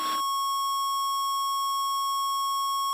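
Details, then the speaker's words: Light airplane slowed from 90 to 60 with some flaps: steady unbroken high-pitched stall warning tone through the headset, followed by rough vibration as the wing stalls; releasing stick pressure recovers. "and what you'll hear is a stall warning be a tone going through the headset should be about now"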